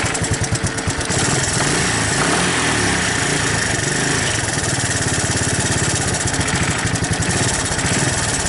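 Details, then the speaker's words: 1984 Honda ATC 200ES Big Red, sat a while and wouldn't throttle up from idle, just started after carb cleaning, on choke and cold; slow, uneven single-cylinder chugging, idle set too low and needs turning up. "Sounds like I gotta tweak the idle up a little bit so the choke's on."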